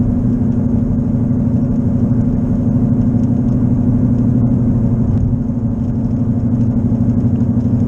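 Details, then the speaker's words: Car driving on wet roads at about 55 mph: steady low drone over road noise growing louder with speed, louder turning right, from a bad left wheel bearing, not yet fixed; earlier mistaken for engine knocking. "as I start moving faster you can tell the noise gets louder about 55 and it's just getting louder and louder"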